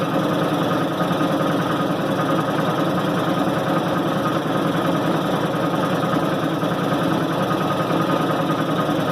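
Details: 1990 Maytag LA211 washer on spin cycle: steady continuous droning groan with a faint whine over it. Belts, brake and the bearing the brake spins on already replaced; cause still unknown.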